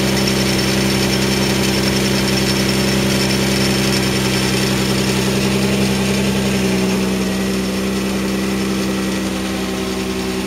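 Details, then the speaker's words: 1993 Mazda MX-3 1.8 V6, mostly stock with aftermarket exhaust, part near the bearing recently replaced: steady idle with a light clacking rattle near 160 a minute, louder as it warms up; cause unknown. "that noise is kind of like a clacking R Ling down um once out I'll leave it for a minute we going to get warm it gets louder as it gets warmer"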